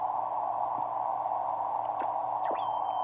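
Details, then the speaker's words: Norcal 40A QRP transceiver on 40 m, near 11 pm, antenna direct without tuner: steady faint whistle over plain band hiss, no signals. Receiver's own internal birdie. "All I hear is my birdie, so nobody's on 40."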